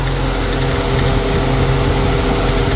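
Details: Infiniti M45 VK45DE V8 at idle, second occurrence: loose, uneven clatter at engine speed from the idler pulley/tensioner. The pulley moves a lot and the noise stops when pressed; unclear whether the pulley or the tensioner is at fault.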